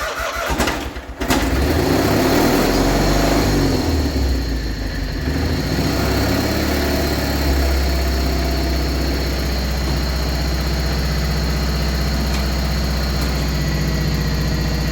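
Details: 1980 John Deere 317 tractor, reportedly run on bad valve guides until it burned heavy oil, started without a battery charger with oil about an inch over full; brief cranking, then a steady, even idle with no knocking; normal running.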